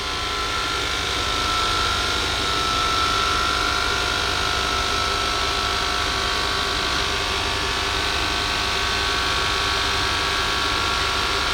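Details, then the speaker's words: 2004 Lexus GX470 4WD rear height-control air suspension, after being lowered to its lowest setting and returned to neutral: the compressor pump keeps whirring with a faint whine on its own. The system is suspected of losing air or leaking. "I didn't touch anything right but this might be exactly the reason why it's for service here because it's losing air and the pump right"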